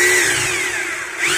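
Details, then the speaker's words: Maktec MT870 rotary hammer, held running with the mode-change gear switch to the rear: harsh buzzy high-pitched whirr with a rough chattering edge, hammer mode working normally; switch forward gives a smooth plain-drill sound. Fault being repaired: tool won't drill. "ini suaranya kasar ya atau ngeddrill"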